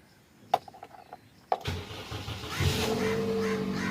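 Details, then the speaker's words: 2013 Toyota Corolla GLI that showed no dash lights with ignition on and the radiator fan running; ignition 2 fuse and red ignition wire suspected, relay or jumper wire as fix. Two clicks, quick crank, catches at once into smooth steady idle; normal start. "माशाल्लाह से गाड़ी start हो गई है।"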